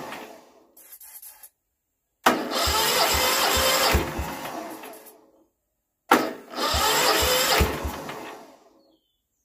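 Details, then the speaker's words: Westwood ride-on mower with 18HP Kohler Magnum twin, unstarted for 23 years: three cranking bursts with odd catches and pops but never runs on its own; owner suspects the carburetor needs filling with petrol. "oh i think i think i need to fill that cardboard up with petrol and we might be in with a better chance but that's hopeful i think she's gonna go"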